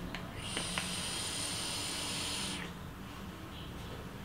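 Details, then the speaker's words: Aspire Tigon vape tank with airflow ring closed halfway for warmer vapor: thin, high, steady whistle lasting about two seconds through the draw, caused by the partly closed airflow. "toutefois avec l'air flow un peu fermé on a ce sifflement un peu désagréable qu'on entend écoutez bien je refais"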